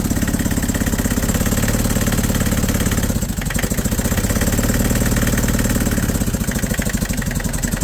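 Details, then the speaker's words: Nissan Big M BD25 diesel before repair: revving unevenly with a lumpy, stumbling beat and dropouts, shaking hard, barely starts, heavy smoke; misfire, cylinders 2 and 3 not working. "สั่นเยอะเลยแหละสตาร์ทแทบไม่ติดเลยติดก็สั่นมากอย่างงี้เลยนะหนักมากอ่ะ"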